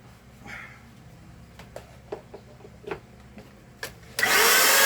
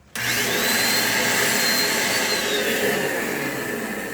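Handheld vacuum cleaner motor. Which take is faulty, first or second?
second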